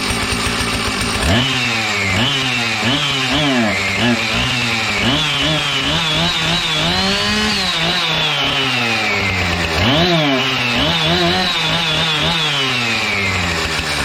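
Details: Husqvarna 455 Rancher 55cc X-Torq chainsaw, warm, after repair: starts straight away, sharp clean blips to high revs and back to steady idle; healthy.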